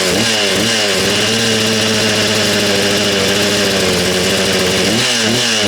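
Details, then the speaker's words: Husqvarna 236 chainsaw that the previous owner took apart when the chain jammed; strong compression; small two-stroke idles crisp and even, revs cleanly up and down with steady firing, no misses or rattles; runs well. "Tell you what, it sounds like a little motorbike. Sounds like a little dirt bike, that does, doesn't it?"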